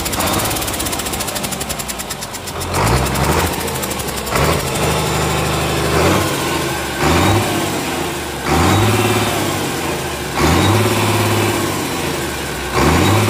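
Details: Komatsu S6D125 diesel on test run after general overhaul (broken No.5 piston, spun No.4 conrod bearing; crankshaft, liners, pistons, conrods, bearings replaced; turbo repaired, FIP and nozzles calibrated); blips up and settles back about every two seconds, clean firm note, no knock; normal running.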